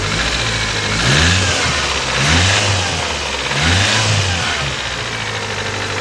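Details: 1991 Toyota Corolla 1.6 revved after replacing the cam and crank seals, timing belt, valve cover gasket and spark plug tube seals, with two quarts of 5W-30 added: three smooth, even revs settling to a steady idle, no knocks or rattles. Healthy.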